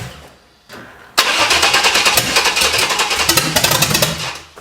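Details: Junkyard Vortec 5.7L V8 swapped into S10, first cold start after head swap, no coolant, testing MAP sensor plugged in: quiet crank then harsh uneven rapid chatter for a few seconds that dies; fires but won't keep running; suspected sensor or intake issue, not confirmed.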